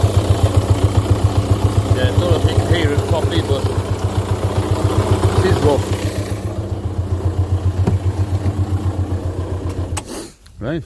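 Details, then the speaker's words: VW 1.9 TDI PD diesel, never serviced and overfilled by 2–3 liters of oil: rough idle with a heavy, uneven chug about four pulses a second, then shutdown. Camshaft and buckets were due for replacement. "I will just fire it up again so you can just hear how rough how rough she actually is on this fine Saturday morning"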